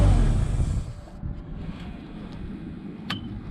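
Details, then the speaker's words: Ford LRG 425 engine in a Genie S40 boom lift after timing belt and tensioner replacement, run warm 20–30 minutes: steady low rumble at idle, even with no knocks or misses, restarts reliably; normal idle. "Well, she's been running for about a half an hour, 20 minutes, I don't know, and sounds smooth. Everything sounds good."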